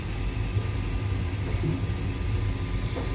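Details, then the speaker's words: Newly replaced circulating pump on an old heating boiler system, wired to run when the boiler calls: low, even hum with a faint steady tone, no knocking or rattle; circulator running smoothly after replacement. "So this pump is wired directly to the boiler, so it turns on when the boiler calls for it. And as you can see, it's running nice and smoothly, and a job well done."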